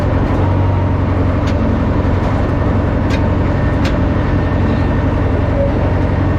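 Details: Old Caterpillar 955L track loader, long unused, after topping up transmission and another reservoir, possibly the final drive, driving: deep, steady diesel drone with even beat, no knocks or grinding; running smoothly and healthy.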